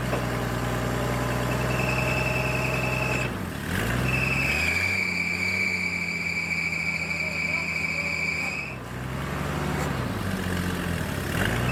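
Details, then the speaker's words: Military surplus forklift idling in neutral; steady even idle with a short throttle dip, no knocks or misses; it runs and hydraulics work, though a hydraulic leak or overflow is noticed. "okay well I've got it to run we got the Hydraulics working"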